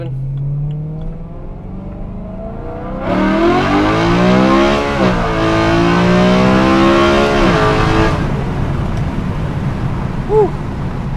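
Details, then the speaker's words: BMW E93 M3 DCT, 125,000 miles, new stiffer 034 Motorsports transmission mounts, valves open, windows half open: hard pulls through crisper shifts, then faint gear whine under the exhaust decelerating to a stop; normal, nothing wrong. "wo when you decelerate little more noise totally fine here coming to a stop yeah so you hear that it's a little more gear wine a little more transmission wine makes it sound like a race car"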